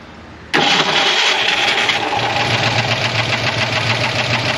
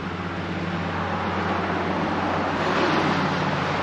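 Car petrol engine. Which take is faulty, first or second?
first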